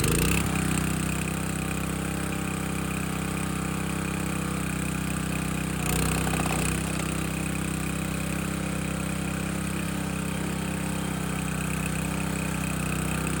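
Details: Landworks 20-ton log splitter engine splitting a second log at least twice as heavy, possibly wetter or hardwood; steady, even drone holds through the split with a brief dip as the log gives; split well, healthy under load.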